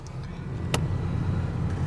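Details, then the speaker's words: 1994 Ford EF Fairmont, 30+ years old: low, lumpy idle with an occasional sharp stumble, in neutral or drive; misfire felt through the bonnet; owner suspects a slight misfire, cause unconfirmed. "Now, starts fine, and it's where it should be idling, but it's got a little issue with, I'm pretty sure it's a misfire. I'm pretty sure it's a very slight misfire, because when you're sitting in drive,"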